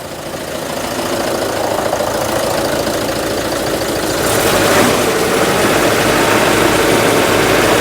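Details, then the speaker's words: Citroen GSA at idle: rough, even beat with a coarse mechanical rattle rising over it; suspected alternator noise returns, prompting a try at a different belt tension, source still unconfirmed. "foreign we start getting the noise back so I'm going to try a slightly different um tension that's less Gremlin it is still quite a lot gremlin"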